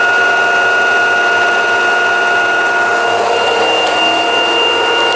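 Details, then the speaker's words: LG washing machine at full spin, about 1000 rpm, after fixing a knock where the drain hose hit the cabinet: smooth steady high whine, no knocks or thumps; normal spin cycle. "Это сливной шланг стучал по корпусу. [аплодисменты] Вот всё тихо и спокойно."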